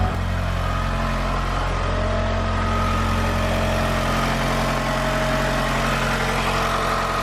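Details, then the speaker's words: Mitsubishi Galant VR4 after coolant temp sensor replacement and coolant top-up: starts fine and settles into a steady, even idle with a smooth low rumble, no knocks, misses or hunting. "fine the connector is actually not very good either man but all right well it looks like it runs fine"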